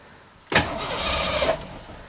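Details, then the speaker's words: 1989 Ford Mustang GT cranked with a portable jump starter, fuel pump heard priming: about a second of steady, strong starter cranking with even turnover and no firing; starter and battery supply doing their job. "oh yeah cranks it over no problem"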